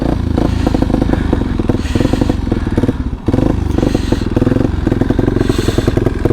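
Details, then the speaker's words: Kawasaki Super Sherpa single after refuelling. The idle keeps faltering with uneven beats, dipping then recovering roughly. With the fuel turned off it returned to normal, so it is running rich, getting too much fuel. "all right i turned the fuel off she returned to normal which means we're running rich getting too much fuel"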